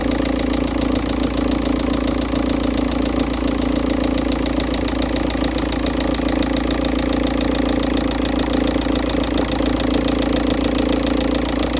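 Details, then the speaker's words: Cold-start idle of a Volkswagen Touran 1.9 TDI diesel, first morning, engine temperature 13.2, oil still cold and thick: strong steady knocking or banging, about three to four blows a second. "Okay, the oil is still cold and thicker, or it has a high viscosity. So as you may be able to hear the banging or knocking noise coming from the engine."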